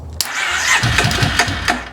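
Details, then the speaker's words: 2005 Kawasaki Prairie 700 ATV, first start after years stored in a barn, fresh fuel, new spark plug, choke on, battery charger connected: starter cranks, then a short ragged burst fires about a second and dies; nearly running. "there you go so we had fuel finally make it change that plug so that's the first time it's actually fired over choke it oh so close"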